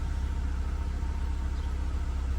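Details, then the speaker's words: 2012 Scion tC 2.5L, about 98,900 miles, cold start after fix for idle dropping when braking (brake booster vacuum line): low, smooth, steady idle near 1000 rpm that does not change when brake is pressed; expected to drop slightly when warm. "almost almost a thousand because it is a cold start so it is going to go down a little bit once it warms up but see I'm pushing on the brake it's nothing so it is fixed"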